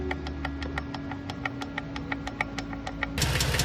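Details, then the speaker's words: Infiniti G35 coupe, VQ35DE: sharp light ticking about three times a second over a smooth idle, present since purchase 3 years ago. A shop tore the engine down to inspect and compared good and bad parts but did not fix it. Valve lifter tick suspected. "As you can hear, they didn't fix it. This was merely just trying to figure out if what the guy who sold me the car said it was or if it was a different problem."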